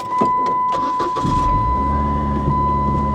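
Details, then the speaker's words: Car with a check engine light, restarted after failing to idle down: a short crank, then a fast, steady high idle that never drops while the temperature gauge climbs; the cause is unknown, possibly linked to the check engine fault. "now she's just she's determined to idle that high that that is crazy and that is absolutely not normal"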